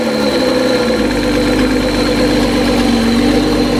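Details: Freshened L28 six-cylinder from a 1976 Datsun 280Z 2+2, bound for a 260Z, test run with fuel injection and good fuel pressure: smooth, steady idle with even firing, no ticking or knocking; the rebuilt engine runs cleanly.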